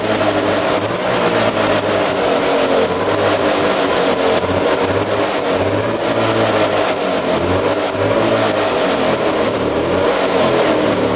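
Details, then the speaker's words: 1970 Arctic Cat Panther 340cc two-stroke snowmobile, locked up and sat 30 years, first running: crisp buzz climbing and dropping cleanly through repeated blips, no misfire or rattle; runs and revs healthily. "but yeah she ruins runs really good all right so that sounds really really good I'm really surprised at how um good the engine sounds considering it was locked up and sitting for 30 years"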